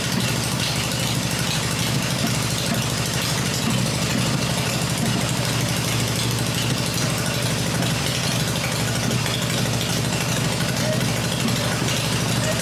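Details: Freshly rebuilt black Harley Evo V-twin motor idling on an engine test stand with open exhaust: steady, even idle with regular firing pulses, no knocks, ticks or rattles; running the way it should.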